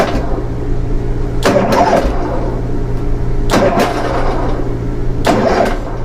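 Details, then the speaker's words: Harley-Davidson on a bike lift after fixing a starting problem (previously only clicked and wouldn't turn over): three starter-button presses, each a short solid crank burst, starter engaging every time; normal starter cranking. "Every time I hit it, it turns the engine over. So that was my trouble."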